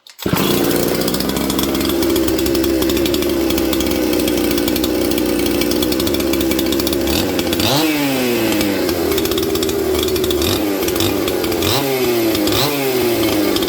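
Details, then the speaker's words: Junkpile 200-series chainsaw in a cold shop, with the carburetor being tuned (slightly lean at first, low jet set): steady even idle, then clean snaps to high revs and back; running smooth and healthy. "Okay, well, we have a runner, 126%. And you guys noticed, those of you with a keen eye, I was tuning the carburetor, and it was taking a tune quite nicely."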